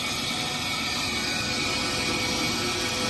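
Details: Gas furnace with no heat, fault code 3 (pressure switch stuck open): harsh, rough whooshing with a ratchety rattle from the draft inducer; inducer fan motor assembly suspected faulty.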